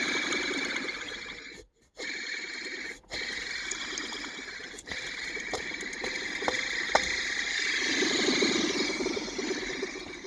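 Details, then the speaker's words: Worn tensioner pulley bearing on the old tensioner from a Benz, spun by hand after removal: a dry, gritty rumble with a thin whir as it spins down. The bearing was getting old and failing but had not yet failed. "i've heard worse in my life for sure i mean it wasn't it wasn't failed but it was a failing it was getting old"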